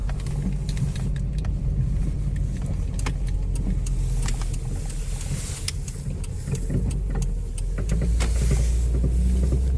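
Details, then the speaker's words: 2001 Chevy Optra test drive after a repair; sharp irregular clicks over road rumble when turning; suspected strut or spring, possibly CV axle, unconfirmed. "Yeah, because if you hear it, if I'll go turn in this corner, and then you can hear the clicking sound."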